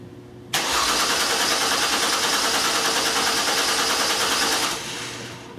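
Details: 2002 Mercury Cougar 2.5L, electronic returnless fuel system, battery charger connected: steady starter cranking about three beats a second for four seconds, never catching; no-start from no fuel pressure, traced to reversed wiring on a newly installed fuel pump.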